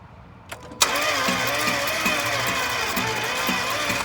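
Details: 2011 Range Rover HSE 5.0 naturally aspirated, severely overheated: fast, uneven starter churning, about four beats a second, never fires; crank no start, suspected low compression, possibly a burned piston dragging on the cylinder; not confirmed.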